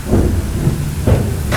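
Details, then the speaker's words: Project vehicle with a steering issue, wheel rocked back and forth: three heavy dull clunks in under two seconds from a worn idler arm, which needs replacing. The steering box also has some slop. "So that's an issue. We'll have to replace that idler arm. We'll probably just build most of the front end back."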